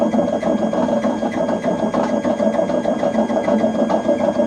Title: LG washing machine making loud noise #noisy #lg #washer #repairs